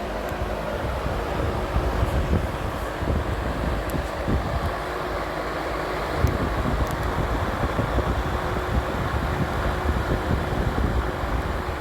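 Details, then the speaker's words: Vintage Emerson box fan after cleaning and motor oiling, intake mode on high: steady even rush of air with low hum, no ticks, rubbing or wobble; very smooth, normal running. "Yeah, very smooth fan here. Very somber on low."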